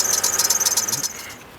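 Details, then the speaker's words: GMC Envoy idling, before tensioner pulley replacement: high, thin squeak chirping about eight to ten times a second from the belt drive. Tensioner suspected, replacement hoped to fix it, not confirmed. "Got a little squeak, as you can hear. Come on, little show. So I'm taking it there. Is that tension will pull it down now. Finna change it and hope that stops."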